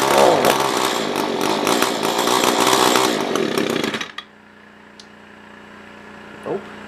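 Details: SRM-210 trimmer after carb replacement, during idle/main screw tuning: high buzzing two-stroke runs hard but unevenly about four seconds, then dies abruptly; fuel starvation, owner thinks fuel is below the filter.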